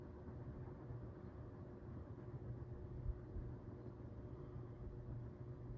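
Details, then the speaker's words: 1978 Dayton/Lasko/Sanyo ceiling fan with Sanyo motor and freshly replaced bearings, set to low: soft, steady low hum with no ticking, rubbing or grinding, quiet and tame; normal running on low speed. "pretty quiet and tame on low but the other two speeds definitely not"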